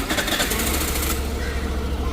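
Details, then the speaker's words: Suzuki Burgman scooter started after rat-chewed wiring was repaired and the socket reconnected; hazard-light indicator still stays on. Rough clattery burst as it catches, then steady low even hum; starts and idles fine. "Okay, गाडी आपली चालू झालेली आहे. ते hazard लाईटचं नाही गेलं आहे."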